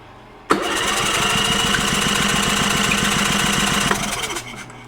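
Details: Champion 4500 W dual-fuel inverter generator that came in not running, first electric start after repair: engine catches at once, settles into a fast even beat of about three and a half per second, then winds down.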